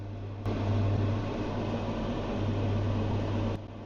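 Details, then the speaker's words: New Elica SHY-BLK-90 cooker hood extractor fan running with a steady low hum and whooshing air rush that starts and stops abruptly, droning loud enough to carry through the house; cause not identified, and the unit is being exchanged. "that is pretty loud and that's going through the house it's that stuff I don't get it that cost 500 quid"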